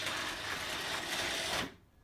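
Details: Original motor on a 10-year-old electric roller garage door, cover off, door coming down: harsh, high, rattling whir for under two seconds, then it cuts out; owner suspects an internal gearbox fault, not confirmed.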